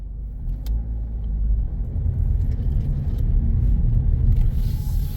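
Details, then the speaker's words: 2017 Toyota Corolla on a pre-purchase inspection road test, accelerating in a sharp left turn at full steering lock: low steady road rumble with no rhythmic clicking; no axle noise, CV joints sound fine. "accelerate okay don't hear anything I'm listening for axle noise and I don't hear"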